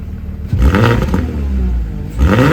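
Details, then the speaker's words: 2006 first-gen Porsche Cayenne with the 3.2 VR6, internal muffler mod done on one side only, tip not yet trimmed: two sharp throttle blips give a deep, raspy exhaust bark falling back to a rumbling idle. Louder with the muffler bypassed, and it sounds okay. "Well, hey now. Actually, that sounded okay. That's only one side."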